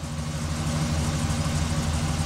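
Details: 2005 Chevy Express G2500 van, V8, runs rough with check engine light and P0300 despite new plugs and wires: idle lumpy and irregular. Random multi-cylinder misfire.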